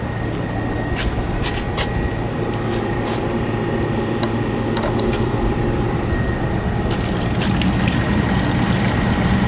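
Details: Exhaust hood fan running right after its belt was put back on during HVAC service: steady, even fan roar with a faint constant whistle and no knocking, squealing or grinding. Normal operation.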